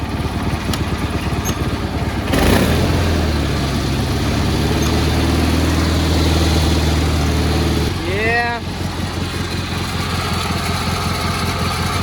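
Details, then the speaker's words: Cub Cadet 1430 lawn tractor, sat for years, first drive after new plug and mixture tuning: engine revs with a rough, droning growl under drive then drops to idle; hydrostatic transmission sounds bad, previously suspected faulty; owner thinks it may be low on fluid. "that Hydro sounds pretty nasty too shut her down when Anthony and I went to pick these up they pretty much said this one they thought had a bad hydro which is why they bought the second one well they would be right actually"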